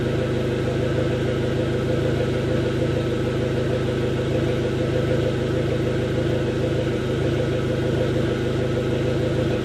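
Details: 2005 SRT-4 that was intermittently stalling, hesitating on acceleration and idling rough and lean; uneven idle with a lumpy pulse wandering about every half second; fixed by replacing the upstream oxygen sensor.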